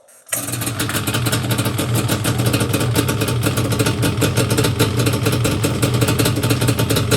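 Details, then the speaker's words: Yamaha Banshee two-stroke after carb clean, rebuild and sync, air screws 1 turn out, idle screws turned down: fires right up and settles into a steady, even idle with no stumbling or surging; normal idle. "Yeah, now She sounds a lot better. Oh yeah, she sounds great."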